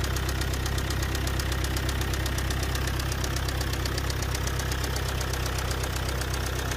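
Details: Car engine with a sudden noise and strong shaking on acceleration that worsened over some kilometres, with clicking and a foul smell from the rear; all four injectors tested fine by scanner. A loud, steady knock at about 160 a minute over a rough idle; bearing-like knock suspected, possibly from excessive speed.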